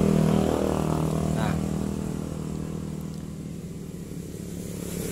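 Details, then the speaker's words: Honda underbone motorcycle (Legenda/Grand/Supra/Revo type) starter test: starter motor spins with a steady humming whine settling evenly; starter brushes are still good. "vivant Oh oui quand Je saute , cela signifie que le charbon de bois dans la dynamo de démarrage est toujours bon"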